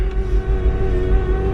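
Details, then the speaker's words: Mercedes CLS idling very low on fuel, engine rocking back and forth, no fault codes shown: low rumble surging and dipping unevenly with irregular thumps; the engine is really sputtering at idle. "Although there are no codes, but oh yeah, it's really sputtering."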